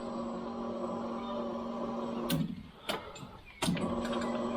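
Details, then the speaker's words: 1992 Daimler Double Six V12 after cam cover gasket replacement and major service, first prime before start: steady low electric hum for a couple of seconds, then clicks as it cuts out; fuel pump primes normally, no leaks. "so i'm gonna start by priming the fuel system so basically we should hear fuel go"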